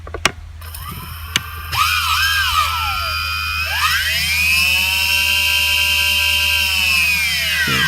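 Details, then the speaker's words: DJI Phantom 3S after tree crash, compass repair and calibration, start-up: motors spin up with rising whine settling into steady even high hum; clean normal start. "Alright, I just did a calibration, and now I'm going to fire it up. And we'll see if that goes."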